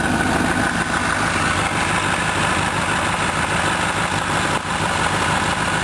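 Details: 2006 Honda CBR1000RR, about 8,500 miles, warm at 80 °C or more, standing still while the clutch is eased to the friction point: few sharp, uneven taps over the engine hum; source unknown; knocking at clutch friction point.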